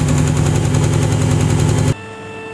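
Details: Chrysler HEMI V8 idling with the hood open: a fast, even clatter of ticks from failed valve lifters, also linked to poor oil pressure; fixed by an oil change and lifter replacement.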